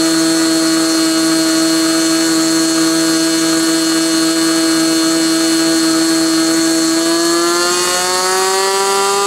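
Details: Glow engine on SIG Kadet LT-40 during break-in, restrained on ground, needle valve at about 1⅓ turns, possibly slightly lean at idle: high steady buzz, climbing slightly near end, no misses or sag; normal running.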